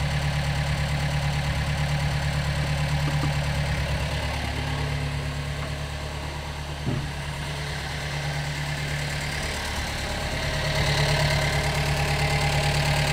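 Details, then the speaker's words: Gehl 3510 skid steer small petrol engine after a new throttle cable was fitted, idling with a faintly lumpy, not quite even beat over a steady drone; the carburetor may need slight adjustment. "Might need a little adjustment on the carburetor."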